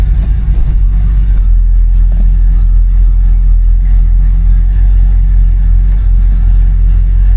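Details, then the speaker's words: 1973 Buick Centurion with 455 V8 driving at light cruise with AC on: deep, smooth, steady rumble with no knocks or misses; engine sounds good, normal running. "definitely sounds good. Which most of the cars with the 455, they do actually sound good and they float."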